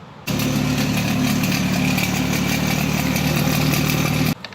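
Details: BMW at startup: steady deep exhaust drone with loose buzzy rattle from a broken fixing bow between exhaust flap and actuator, before replacing the fixing bow; exhaust flap rattle.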